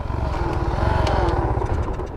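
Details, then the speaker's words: Shineray 49cc small single-cylinder moped, wheel hub bushings recently replaced: fast, uneven putter with loud rough clatter, noise also on clutch engagement; slipping clutch suspected, cause unconfirmed. "só que rapaziada moto tá maior estranha tá fazendo o maior barulho motor rapaz vou tá mostrando você é e fica melhor o barulho"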